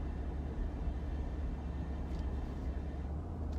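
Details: 2015 Ford F-150 at about 1,000 rpm and 33 mph: low engine drone with a buzzy metallic rattle that only occurs at low rpm and slow speed when the engine hits a certain harmonic.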